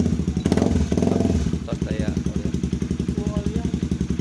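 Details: Honda CB150R single after replacing the CDI stator coil (spul) for stalling and draining new battery, regulator socket connected: quick even steady idle thump, no knocks or misses; charging now healthy; normal idle.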